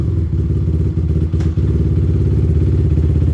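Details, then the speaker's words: Honda 450R ATV, freshly built big-bore engine with ported head, first start, 0.1 hours, not broken in, still warming up: loud, low, steady, even single-cylinder thump with a strong bark and no clatter; normal idle. "Still warming up, but my gosh, does that have a bark. My hopes of having a mildly quiet machine are, they've been shattered, to say the least."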